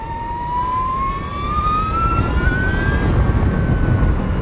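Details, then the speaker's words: Energica Eva Ribelle RS electric motorcycle riding: straight-cut gear whine climbing in pitch with speed, most noticeable on and off throttle at low town speeds; normal straight-cut gear whine. "It is more noticeable when you get on and off the throttle, so at slower speeds around town and things like that, people definitely hear this, and it grabs their attention because they're like, what is that? Rather than, oh, there's a motorcycle coming."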